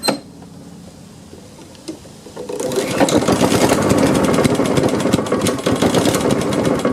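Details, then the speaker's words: Honda HRX217 electric-start mower that sat outside for years, with new filter, half tank of gas and very dark oil: after a quiet pause it fires about 2.5 seconds in and runs steadily. Slow starting; owner suspects water in carb from hosing. "That took a while to crank. Let's let it sit here for a second and crank it up again. There must have been some water in the carb or something after I'd washed it, hosed it down."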